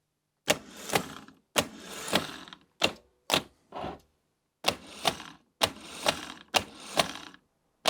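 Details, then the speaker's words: Trabant P60 starter motor after servicing: short bursts of starter whir with clack as drive engages sprocket and turns engine, stopping cleanly; working, possibly not permanent fix. "yeah it seems to work now it is making the sound engaging the sprocket and turning the engine that seems to work"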